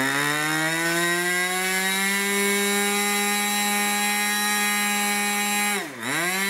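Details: Irvine 40 MkII 1980s ABC glow engine, twin-needle carb, 10x6 prop, 7% nitro 20% oil fuel; clean high scream held steady near 12,300 rpm at full throttle, brief throttle dip at end; needles tuned after rich start; normal full-throttle run.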